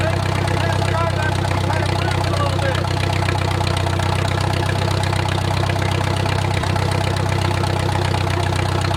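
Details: Wartime H tractor, last run around the 80s or 90s, at full operating temperature: a slow, steady chuff of about four beats a second with an even low rumble, no knocking, great oil pressure; a normal warm idle.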